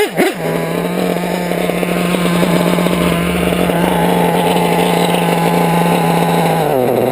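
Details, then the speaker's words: Modified LRP .32 nitro RC engine with a top-end pipe: high-pitched buzz with a slight stumbling flutter underneath, sounding lean and bogging down low; low-end hesitation, strong top end but no bottom end. "this pipe yeah it's a top end pipe no bottom end though you can hear how it wants to"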